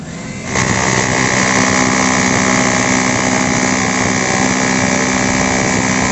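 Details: Bosch GBH 2-26 DRE SDS hammer drill, repaired for lacking drilling power, test run: a steady motor whine with a fast, even hammering rattle that stays strong; the hammer action is now healthy.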